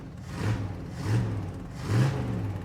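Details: 1977 Dodge Adventurer truck, restarted after shutting off: steady low rumble with gentle rises and falls as it settles, smooth and even; a little smoke likely from valve cover dripping; healthy idle.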